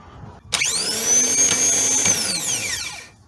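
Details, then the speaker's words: New starter motor for a 2011 Toyota Sienna with a no-crank no-start, bench-tested off the vehicle with battery leads before installing: spins up to a high, clean whine, holds steady, winds down smoothly; starter confirmed good. "works all right I have confirmed that this start is good it's in very good condition"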